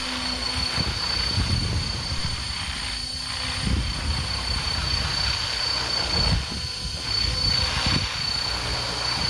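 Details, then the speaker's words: Helicopter turned to expose the opposite side of the tail rotor: a thin, steady high-pitched tail-rotor buzz over low rotor wash, quieter than the drone's propellers. Normal tail rotor buzz. "so if we rotate the aircraft again exposing the opposite side of the tail rotor we can begin to hear the high frequency buzz it"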